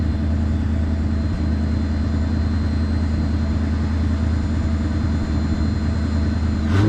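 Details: 1973 Mercury Grand Marquis with 429 Ford V8, C6 transmission and 55k original miles, after cleaning fouled plugs and freeing a stuck choke: deep, steady idle with an even beat, no racing or surging; idle sits low as it should.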